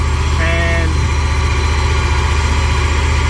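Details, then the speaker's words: Jeep Grand Cherokee V8 with ignition coil pulled to force a misfire, held around 2,000–2,500 rpm: deep drone with uneven loping pulse from the dead cylinder, unburnt fuel heating the single catalytic converter; misfire from disconnected ignition coil. "e misfire and now that it's running at 2500 rpm there's more onboard fuel unburnt fuel"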